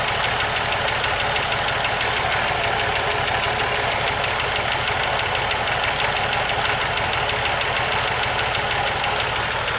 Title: 1980 Jeep CJ7 ticking noise